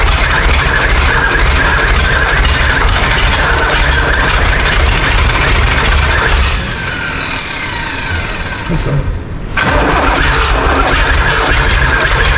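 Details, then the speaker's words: John Deere 3130 diesel tractor start attempt, intake off, glow plug heat not yet applied; starter turns over steadily about four even beats a second without catching, seems to need heat; cranking, no start yet. "Sounds like it needs a bit of heat."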